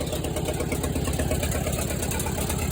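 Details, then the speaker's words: Case 310F bulldozer, 188D diesel, idling: steady, rapid clicking/banging knock loudest at the front, from the fan blades hitting the fan shroud rather than an internal engine issue. "Sure enough, it's hitting the shroud. So I think that's what that clicking is, rather than an internal engine issue."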